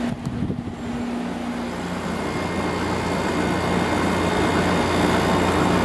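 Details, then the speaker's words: Samsung 6,300 BTU window air conditioner (590 W, 5.4 A, Samsung compressor) started on cool, lowest temperature setting on a cool day, with a heater in front to help it start. A hum swells and settles into an even drone: normal compressor start. "Let's wait for that compressor to start. And there it goes."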